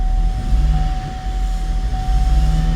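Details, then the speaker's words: 2015 GMC Acadia 3.6 L found at least 2 quarts low on oil, chewed wiring not yet fixed, codes back after clearing: extended crank then rough, uneven poor running with a lumpy throb and steady high whine. "extended crank and pour running."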